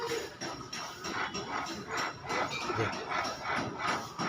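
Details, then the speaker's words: 2007 Suzuki Swift electric power steering, column opened, motor checked good: light metallic jingling rattle two or three times a second from worn top torque sensor bearing; replacing the bearing should silence it. "ये sound आ रहा है इसमें के top sensor bearing अपन डालेंगे तो silent हो जाएगा"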